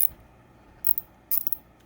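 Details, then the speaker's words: New Pittsburgh Pro 1/4" swivel-head ratchet whose direction selector keeps slipping when switched: two short bursts of quick clicking as the pawl finally catches, a sign the ratchet will likely fail long term. "ybe get in there and make it a tighter fit but it shouldn't slip like that so that's just a sign that this is going to fail long term"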